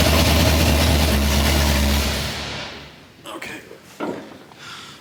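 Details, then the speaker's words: Freshly rebuilt Mustang V8 after 7-year restoration, no exhaust fitted yet and cam not yet broken in: deep lumpy rumble for about two seconds then shut off; fires and runs cleanly. "anyways it fires it runs that was the whole point of what we were trying to do"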